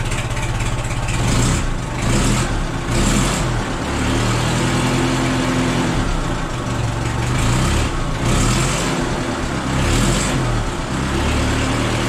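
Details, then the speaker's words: $200 gasoline forklift after a muffler was fitted: steady low engine rumble with a few gentle blips and no blatty exhaust crackle, much quieter than before. Normal, even idle. "We'll see what it sounds like with a stinking muffler on it. Wow, that's so much quieter."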